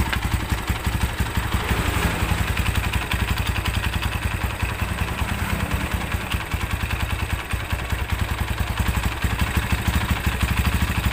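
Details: Honda Tiger Evo motorcycle previously worked on by other shops, idling around 1000 rpm: rough lumpy idle with loose clatter from the clutch cover area that grows louder with the clutch lever pulled, pointing to clutch housing play.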